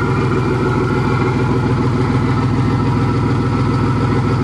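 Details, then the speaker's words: Van engine running after the crankshaft was unseized, on a sideways van: steady even idle with a regular low pulse about three beats a second, no knocks or misses; normal idle. "well now that this uh piece of [ __ ] is known to be running good after i've unseized the crankshaft"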